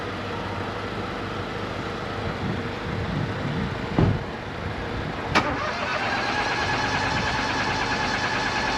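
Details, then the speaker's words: Crash-damaged auction car on jump leads, blowing exhaust: steady starter churning with a couple of sharp thumps but no catch; cranks without starting, oil present, owner suspects the pyro fuse from the crash. "It's definitely got oil in it, is it? >> Yeah, it's got oil. It don't sound right."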